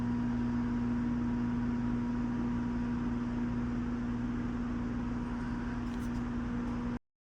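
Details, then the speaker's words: Mitsubishi Evo X / Ralliart SST DCT470 with stripped output splines, shifted into park while the output shaft still spins disconnected from the wheels: harsh buzz, about four clicks a second for seven seconds, then stops; parking pawl ratcheting. "So what that means is when it's in rotation and you go to put it in park, something like this will happen. You'll get that alarming buzzing noise."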